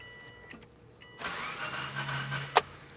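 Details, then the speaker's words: 2005 Subaru Forester 2.5 L, cranked on a jump pack: starter spins the engine quickly and evenly for about a second with no compression rhythm and no catch; cranks but won't start, broken timing belt (head gaskets also leaking). "so to me it sounds like we have a broken timing belt"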